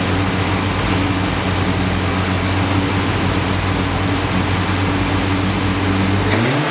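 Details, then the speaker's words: 1973 Triumph TR6 first start after 2-year restoration, ignition being retarded: uneven, lumpy drone with faint tapping, dip near end; owner hears valves clicking, plans valve adjustment, suspects carbs need tuning and fuel starvation, possibly clogged filter. "the other thing is the vows I can hear them clicking so I'm going to make sure I'm going to jab the vows tomorrow too to make sure they are ok what else the carbs obviously need tuning"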